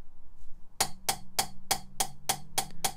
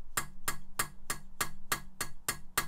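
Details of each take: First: Mitsubishi Evo 4G63 cylinder head rebuild, lapping an oiled nitrided inlet valve: crisp, even pops about three a second as the valve taps a properly cut seat, versus metal-on-metal on an uncut seat. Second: Mitsubishi 4G63 Evo cylinder head rebuild, lapping in valves: sharp bright metallic clicks about three a second from a valve on a seat not yet lapped, metal-on-metal, unlike the popping of a lapped-in seat.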